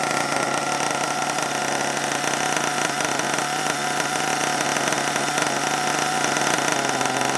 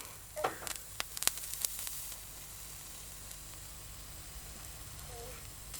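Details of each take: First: HPI Savage 21 nitro RC truck, after being drowned in water, started with throttle open and left running hot: steady high-pitched buzzing drone at even speed with no misses or rattles; small nitro engine runs cleanly. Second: HPI Savage 21 nitro RC truck after a drowning, glow starter on its original old glow plug: handling clicks, then steady hiss and sizzle as water boils off the hot plug; the plug survived.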